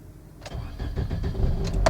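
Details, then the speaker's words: Toyota Corolla with newly installed anti-theft ignition kill switch, after pressing the hidden reset switch: short crank, engine catches cleanly into steady even idle; normal start. "See, the car started."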